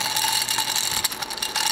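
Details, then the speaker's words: Port-A-Cool Cyclone 2200 evaporative swamp cooler, submersible water pump plugged in; dry high-pitched ratcheting rattle from the small pump motor, sounds like bad bearings, failing pump later replaced, failing pump bearing grinding. "that does not sound like a healthy poem so turn this thing off sounds like bad bearings"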